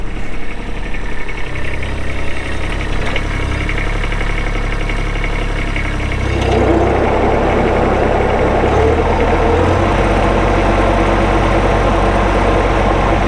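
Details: Kubota B7500 4WD hydrostatic tractor, 21 HP diesel, 1,249 hours, loader and belly mower: small diesel ticks over at an even clatter then settles to a steady lower idle, no knocks or misses; healthy normal idle.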